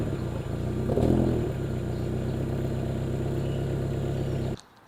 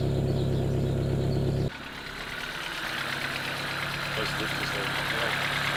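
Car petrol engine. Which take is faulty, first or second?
first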